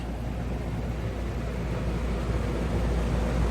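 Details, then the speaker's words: Old Goodman AC condenser, no cooling call at 8 pm: steady low fan rush with faint flutter, no compressor hum underneath; fan runs but compressor stays off, cause not yet confirmed, gauges to be checked. "Go get a gauge and see what she's doing. All right, I thought I heard a compressor, but I did not."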